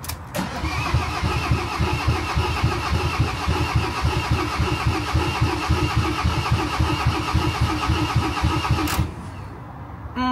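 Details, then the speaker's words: Van diesel being primed after a no-start, with the fuel filter case just tightened and air now bubbling from the injectors. The starter churns it over evenly for about nine seconds, with no firing or pickup. Cranks but no start. "well we're trying to turn it over and over and over"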